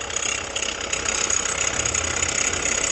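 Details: 2019 Jeep Renegade engine at idle: a harsh, dry, steady whirring rush from the front accessory area, which stopped once the accessory belt was removed. Bearing checks traced it to a worn water pump bearing.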